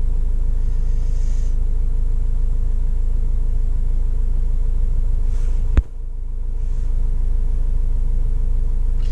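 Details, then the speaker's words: 2005 Vauxhall Vivaro 2.5 CDTI diesel after EGR valve repair: even, smooth idle with one brief click. No limp mode or engine light, though P1400 and P1000 misfire codes are still stored and no misfire is felt. "there's this p1000 alternative fuel miss engine misfire detected but it runs smoothly the engine there's no I can't can't feel any misfires at all so I'm going to ignore those um"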